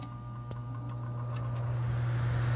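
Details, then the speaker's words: Trane gas furnace on a no-cooling call, jumper red to green: steady low hum building slightly with no fan spin-up; blower stalled on a failed capacitor; new capacitor made it start, motor probably OK. "so may get lucky and just put a capacitor on it and if it starts good every time we'll leave that and if not we're gonna have to do the motor"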